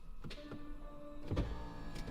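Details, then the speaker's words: Bugatti gearbox hydraulic pump, engine off, pressure falling about 1.5 bar per shift to about 44 bar: soft electric motor hum with steady tone and light thunk as pump cuts in to rebuild pressure; normal pump cut-in. "And then the pump kicks back in to build up the pressure."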